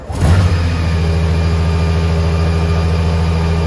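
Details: Honda Gold Wing started by the emergency start procedure without the smart key: cranks and catches within half a second, then settles into a smooth, even low idle with no misses or knocks.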